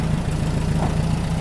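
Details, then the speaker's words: Rebuilt 40HP air-cooled VW engine from a 1962 Type 2 bus that sat over 40 years, after first start: smooth, even low idle with steady beat, no knocks, ticks or misses, running cool; normal idle. "happy now it's coming back to idle real nice I don't want smooth yeah buddy real nice hardly making any eat at all it's running really cool"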